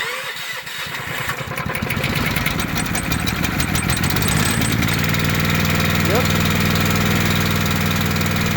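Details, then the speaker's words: Honda GX240 four-stroke engine on an irrigator, previously locked up on pull-start, after valve-cover work freed it and it was reassembled: catches within seconds and settles to an even, steady idle with no knocks or misses. "[Music] so there you go sometimes it's something simple"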